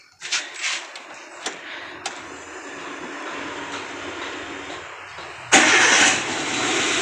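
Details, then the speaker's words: Chevrolet Spark 1000cc 4-cylinder, warm engine, after fix of manually jumpered AC wiring that upset throttle body signal (ECU data manipulated): a few clicks, starter catches, fires at once to even idle; still hard to start cold mornings without throttle. Normal warm start. "Jadi kalau pagi enggak diinjak gas itu masih belum bisa ya pada saat dingin tapi kalau udah panas seperti ini ya Alhamdulillah udah normal"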